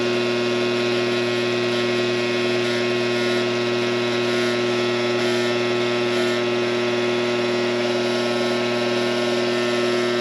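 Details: Coleman Presidential II furnace blower motor, cleaned and greased with synthetic grease, bench-run on a cord: steady loud hum with buzzy rough edge; runs noisy, shaft has slack, owner suspects worn bushings.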